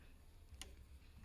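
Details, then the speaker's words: Singer 298 FashionMaker sewing machine on zigzag, needle at left position: over a soft motor hum, sharp light metallic ticks as the needle strikes the back of the throat plate; needle striking throat plate. "see that it is striking the back of the throat plate at the left and the yeah it's striking"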